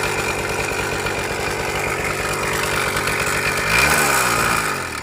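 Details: Suzuki Max 100 two-stroke motorcycle, cold start after sitting about 5 years during restoration, only carburettor cleaned and wiring reconnected: raspy idle about four beats a second, brief rev near end, uneven undertone; abnormal engine noise, cause not yet found.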